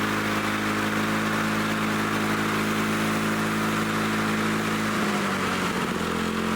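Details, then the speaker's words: Lawn-Boy Loafer dual-engine rider, front mower two-stroke with a new plug, after rewinding the recoil spring: steady, even drone that runs strong but slower than wanted; the plan is to bend the governor spring lever to raise rpm. "let me see if I can put more tension on that spring under here yeah let me try bending on this lever may I can boost the RPM I mean it sounds like it's running pretty strong but I want it to run faster"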